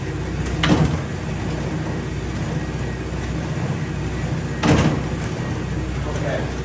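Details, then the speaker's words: StairMaster StepMill (916/7000PT type) running at high speed with full body weight after about 10 minutes of use: two heavy clunks about four seconds apart over a low drive rumble, steps skipping from a worn drive sprocket and chain. "we heard the skip we felt the skip hopefully you saw the skip"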